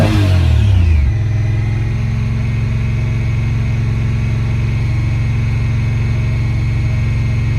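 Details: 2017 Honda Pioneer 1000-5 at 1200 miles with check engine code 9-2. Engine fires up, flares, then settles to an uneven, elevated idle with a wavering beat. Cause was factory over-crimped wires broken at the IACV plug; plug replaced and recrimped.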